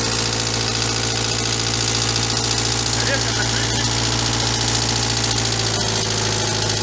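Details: Engine running steadily with a faint, uneven knock over the hum; engine knock, cause not pinned down.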